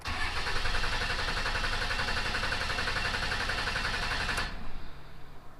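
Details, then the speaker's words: Salvaged Dodge Cummins diesel, cam position sensor replaced after P0341 code; starter cranks about four beats a second for over four seconds, never catches; rail pressure drops to 5,000; owner suspects the FCA. "So you see it jumped up to 7,200 on that second crank and then dropped back down to 5,000. Now that should have been more than enough to activate the injectors and at least try to start."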